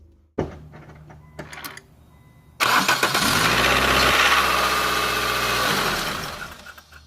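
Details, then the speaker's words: Nissan SR20 petrol engine (NX2000/Sentra SE-R type): harsh metallic timing chain clatter on startup easing toward idle, some rattle under throttle; timing chain tensioner found leaking, to be replaced. "particular case my engine is rattling on startup and then sometimes if I give it enough gas when I'm driving I hear the chain rattle a little bit"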